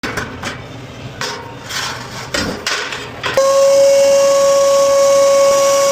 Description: Commercial refrigerator not cooling and making loud noise? In this repair, I diagnosed the issue and replaced a failed condenser cooling fan motor to restore proper performance.